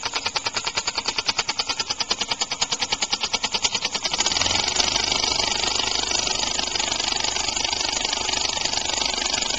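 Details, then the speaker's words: Homemade compressed-air engine (aluminum valve shaft/crankshaft in a steel bore, sloppier after about 15 minutes' running), started just past top dead center: sharp air puffs about eighty a minute, uneven at first, then faster and hissier; rough from early timing and an unbalanced flywheel. "You do the valve the same way, I suppose, but just put a bearing on either end. That would make it last a whole heck of a lot longer and run smoother."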